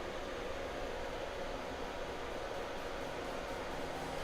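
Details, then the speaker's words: TOMZN 2000W power supply after replacing its fans with Noctua fans: steady, even airy hum with a faint mid tone and no rattle, much quieter than the original fans but moving less air. "Oh, there we go. They're spinning. Oh, that's so much quieter, but it's also so much little air flow or less air flow, I should say."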